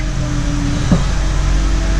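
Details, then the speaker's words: Honda CR-V power steering pump whine, loud and worse when hot with steering; steady mid-pitched moan over engine hum from air drawn past worn pressure line O-ring, fix is replacing the O-ring. "makes a lot of racket, especially when it gets hot with the steering."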